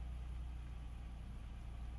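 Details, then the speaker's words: 2001 Nissan Xterra V6, hot, idling low and uneven with irregular dull thumps; at high RPM it cuts out off and on, worse when hot, dropping to 2000; set P0300 code; ignition misfire. "high RPM what see how it's cutting out off and on off and on hopping out like it it can't maintain it and when it gets hot it really does it bad down to 2000."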